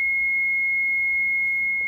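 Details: Mitsubishi Shogun diesel (probably 2004, about 3.0 or 3.2 litre) with almost no brakes, ABS and brake lights on: continuous high-pitched beep warning of a HBB brake booster fault; owner suspects the booster motor, codes won't clear.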